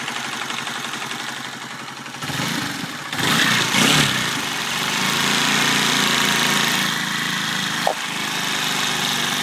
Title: Honda cbr 125 engine noise after cam chain tensioner replac